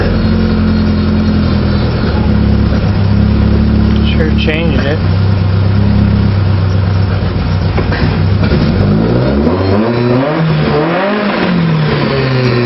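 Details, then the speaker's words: 1978 Scirocco carbureted four-cylinder, choke removed for a fuel leak with block-off plates, leaner main jet fitted during the fourth round of jetting: revs sweep with throttle, still uneven and seemingly rich; carburetor jetting adjustment. "so we got rid of that made some block off plates got the fuel leak to stop and we're just put a little bit leaner main jet in there so let's go ahead and fire it up"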